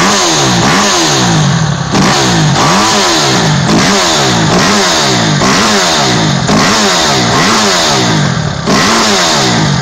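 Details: 2008 Kawasaki KX250F single after overhaul, blipped up and back down roughly every second: crisp and clean with no knock or clatter; engine sounds healthy.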